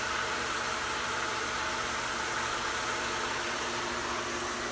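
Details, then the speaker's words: Pool pump running normally on backwash during filter backflush, done when the pressure gauge reads about 26–27 or more; a steady, even rushing hum of pump and water flow with no surging or grinding while the sight glass clears. "So we push it down, put it onto backwash, turn the pump back on. And now we're going to count for about 30 seconds, or until this sight glass gets clear."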